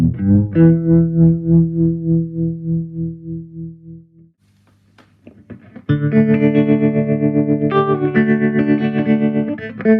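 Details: Gibson GA-40T Les Paul tube amp with two 6V6 power tubes, after repair of dead channel one, non-working tremolo, noise and motorboating: warm lightly overdriven guitar with deep even tremolo, no putt-putt or hum; working properly.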